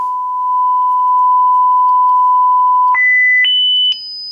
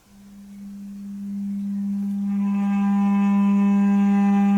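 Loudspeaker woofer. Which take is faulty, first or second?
second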